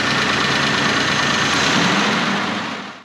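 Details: 1995 Honda Passport (Isuzu Rodeo), losing power and hard to start: engine churns and sputters unevenly about three seconds then dies; zero fuel pressure at regulator, owner suspects failing replacement fuel pump.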